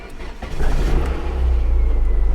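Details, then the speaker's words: Manual 1.9 liter car at a salvage auction starting: engine cranks, catches with a stumble, then settles into an uneven pulsing idle; rough start, and a head gasket problem, common for these cars, is suspected, with coolant to be checked. "I almost forgot about the head gasket problem. Check coolant. The way it was rough starting up and check coolant."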